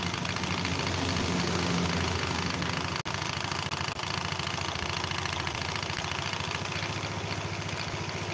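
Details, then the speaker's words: Scooter with CVT and oil seepage, likely from a crankcase seal; loose, uneven rattling clatter about three knocks a second over a steady idle, traced to a worn roller housing bushing in the CVT. "jadi teman-teman dengar suara kempelotok berisik Itu masalahnya di rumah rol"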